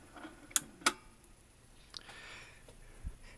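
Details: Emerson NR303TT nostalgia combo unit, 3-speed auto-return turntable with ceramic pickup, after repositioning the drive belt on the motor shaft: two crisp clicks a quarter second apart then faint quiet run; changer cycling and settling normally.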